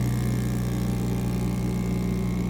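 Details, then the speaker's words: VAP02 3D mini vacuum heat press sublimation machine, vacuum starting after a 20-second delay and pulling to 0.06 PA: steady, even low hum with no knocks or surging; vacuum pump running normally. "can see the power of the vacuum pump going to 0.06 PA."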